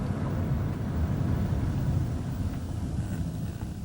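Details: Van on a test drive after brake work, crawling then up to about 30: low steady road rumble with no squeal or grinding; brakes quiet.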